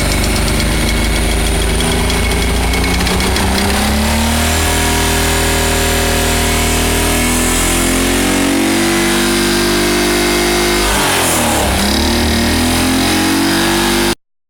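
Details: 1985 Pontiac Fiero with a newly installed engine idling and revving with a rough, irregular knock. A bolt was pulled out through the distributor hole with a magnet but the knocking remains; cause unclear.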